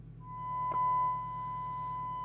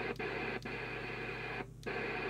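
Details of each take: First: Skiptech TI4000FM CB27/81 CB radio on receive with a signal-generator tone during servicing: a steady high tone over low hum sounds rough and buzzy, not pure; the FM detector sounds miles out of alignment. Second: Skiptech TI4000FM UK CB27/81 mobile CB radio from about 1992, missing its display board, on the aerial after servicing adjustments: steady receiver hiss with faint signals and regular clicks; receiving properly, with excellent sensitivity.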